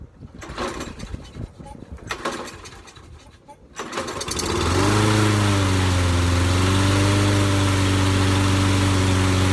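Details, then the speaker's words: Curbside discarded lawnmower after carburetor passages cleaned, running without air cleaner: a few cranking bursts, catches near four and a half seconds and settles into a steady even idle; runs good, transmission not yet tested. "there we go runs good so now we got to see if the transmission is any good if it'll drive"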